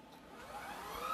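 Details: Shark Rocket stick vacuum after fixing suction problem; final tissue suction test. Motor spins up into a smooth rising whir with steady airflow, no rattles. Normal suction.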